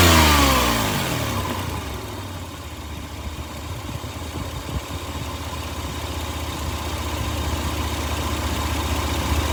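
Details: Toyota engine drops to idle, then a fairly regular knock near four per second rattles over it and builds as revs rise again; suspected rod knock, not confirmed.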